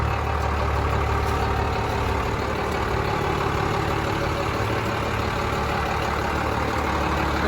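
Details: 1996 Dodge Ram 3500 dually 4x4 with a 5.9 Cummins 12-valve diesel, five-speed manual and 78k miles, just started: even, steady diesel clatter at idle with no misses, knocks or hunting; healthy.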